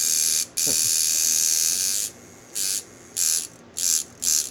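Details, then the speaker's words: Cheap kit coil tattoo machine straight out of the box at about 4–5 volts: harsh, high-pitched buzz in uneven bursts with a loose rattle; running rough and poorly tuned. "let's do it this does [Music] rattle itself apart"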